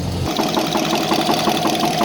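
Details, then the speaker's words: GAZ-66 V8, warm idle, knocking since water got into the crankcase, oil pressure light on: steady, even tapping knock each firing cycle; rod bearing suspected, sound located toward front cylinders by stethoscope; engine knock. "Так, ну, вот так на теплую он работает. Звук мы мерили, где-то вот там вот звук идет."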